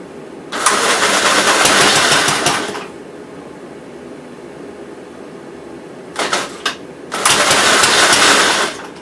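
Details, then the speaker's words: 1957 SR Gravely single-cylinder after top-end rebuild with 15-over rings, refueled: two short, fairly even running bursts with a pause, no knocking. Idles decently, no longer smoking as it heavily did before rebuild; normal idle. "so it's pretty good it idle's pretty decent and everything it's not smoking"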